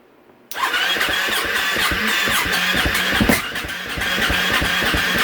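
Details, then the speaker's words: 2015 KTM 450 SXF that was hard to start, now cranking after a blown fuse was replaced: the single catches with a sudden bark then fires unevenly with irregular pops and stumbles, dies when the cold start is shut off; likely a misadjusted yellow cold-start knob. "soon as I shut off the choke she died but we'll get that straightened out okay I made some adjustments to the uh choke adjustment down here that yellow knob"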